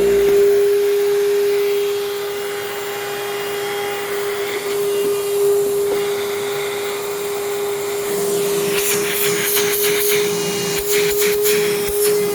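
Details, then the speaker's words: Heavy, dusty-smelling vacuum that struggled to start: a steady high whine over the motor drone, worse than at first try. The cause is unclear; the owner thinks it needs a proper tune-up. "it sounds like it's running worse now than it was when I initially tried it like the motor's got kind of a line to it and I'm not sure why that is"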